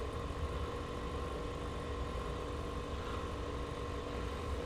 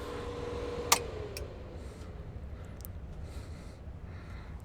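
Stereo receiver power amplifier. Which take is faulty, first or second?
first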